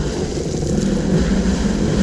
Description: Whining sound is on our 2017 Sea Doo Spark Trixx. Had it looked at in January. Turns out it's the Jet Pump bearings.